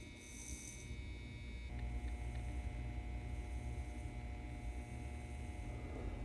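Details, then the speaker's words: N scale Model Power 4-6-2 Pacific locomotive, repowered motor shimmed with cardboard so it doesn't rub the frame, wheels and valve gear reattached: steady, even low hum with no rubbing or scraping; normal running. "that sounds pretty good to me so all i did was reattach the wheels and the frame with the valve gear and looks like i'm going to be able to save it"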